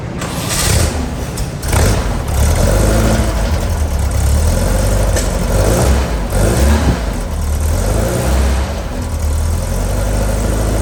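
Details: New Powerhaus 2110cc air-cooled VW flat-four, upgraded heads, dual 44 carburetors, on dyno after valve adjustment, warmed up: deep steady rumble climbing cleanly as loaded, no ticking or knocking; normal running.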